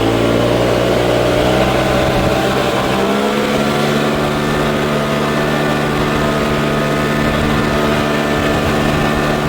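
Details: Troy-Bilt four-stroke backpack blower after a $15 carburetor replacement, blowing grass and blacktop outdoors: steady even drone that settles a little lower after a few seconds and holds without surging or stumbling; runs great.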